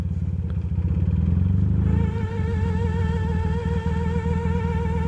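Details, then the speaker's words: 1977 Yamaha XS650D, idling after pulling off 60 miles into a ride: a thin wavering squeal over a steady low engine rumble. The speedometer is failing after its needle wavered; the speedometer and cable are being replaced. "you probably can't hear it it's my speedometer screaming at me"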